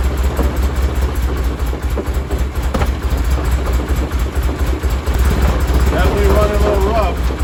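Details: 1973 Porsche 911T air-cooled six, sitting since 1998, first runs after fuel draining and new plugs: uneven lumpy beat surging and sagging with throttle; owner suspects timing or points gap off.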